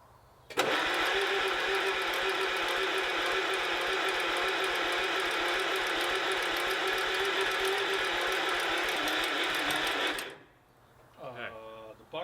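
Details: 1949 Allis Chalmers WD with rusty cylinders, cranked with the battery on a charger and the switch position uncertain. About ten seconds of steady starter whirring never catches, a crank-no-start.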